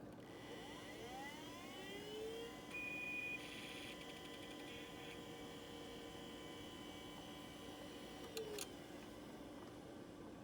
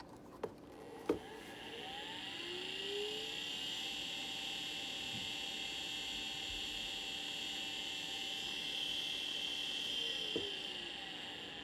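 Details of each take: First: The first drive plugged in is a properly functioning Maxtor hard drive. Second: Old Maxtor hard drive, unresponsive, spins up into a loud, rough high-pitched whine from a worn spindle bearing.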